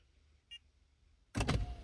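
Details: GM vehicle, passenger window motor run via body control module actuation test from a scan tool: short click, brief thump and faint steady motor hum as window moves; motor working normally.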